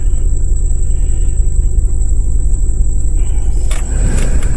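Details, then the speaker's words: Dodge Caravan 2.4 idling after repair with AC on: steady, even idle, with no compressor-engagement thump or whine. The previous noise came from a loose AC pulley. "let me get the ding-ding to stop all right and put the AC on it's on I don't hear that noise no more"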